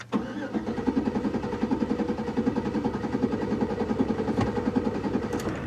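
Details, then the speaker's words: Chevrolet 1500 pickup, about 2004–2006, engine light on with suspected misfire; cranked crank-no-start at wide open throttle to listen for a dead cylinder; steady even starter chugging, about 2.5 beats per second, no hitch; normal-sounding cranking, which can be deceptive. "sounds pretty normal uh but that can be deceptive even to the trained ear not that i've trained my ears but you know what i mean"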